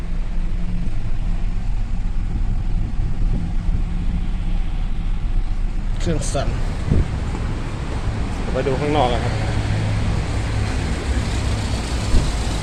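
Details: Nissan Teana with uneven, lumpy shaking idle that stumbles when revved and won't accelerate; no fault codes, cylinder 3 injector found delivering 20cc versus 30cc on cylinder 4, causing misfire.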